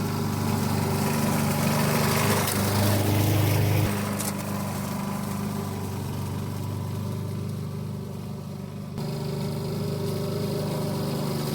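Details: 1988 Alco push mower, Briggs and Stratton auto-choke engine, running again after a non-start repair (diaphragm, a common issue), cutting with the old blunt blade: steady, even beat under mowing load, no stumbling or surging; normal running.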